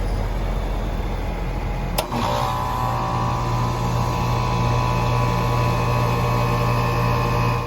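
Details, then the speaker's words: Pentair UltraTemp pool heat pump after maintenance and rewiring, compressor kicking in five minutes after the fan starts, cover open: a click then steady, even hum with no rattle or knocking; normal compressor start. "everything sounds good from the compressor I don't hear any strange noises nothing that concerns me"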